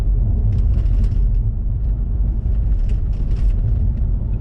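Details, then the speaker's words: Audi A4 B7 / Seat Exeo driving over potholes and speed bumps after replacing a faulty inner tie rod that caused knocking: only low, even road rumble, no clunks or knocks from the front end. "that's the quietest the car has ever been over bumped for a long time that is definitely the quietest that cars this car's ever been over speed bumps or bottles or anything"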